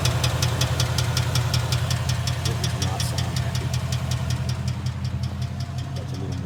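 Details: 2011 Ford Mustang GT 5.0 Coyote V8 at idle: sharp, regular knocking about 160 a minute, deep hammering over steady idle; rod knock from a bad rod bearing.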